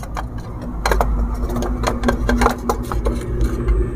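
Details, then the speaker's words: Hero Duet scooter with self-start problem, after fitting a new chamber: starter clatters and whirs in uneven bursts, engine never catches; self-start still fails and is worse, starter clutch not engaging. "Guys chamber लगा कि मैंने देखा फिर भी problem हो रहा है और शेयर डिस्टर्ब तो नहीं कर रहा है और भी ज्यादा खराब हो गया है"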